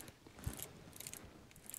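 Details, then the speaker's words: W126 Mercedes ignition lock cylinder clicking with small dry metallic clicks and ratchety ticks as the key is worked; key hard to turn, lock cylinder replaced but problem suspected in ignition switch or steering lock instead. "you can hear it clicking a little bit and i don't know if that's normal or not but this this key when you put it in there is a slight little you know resistance sometimes right"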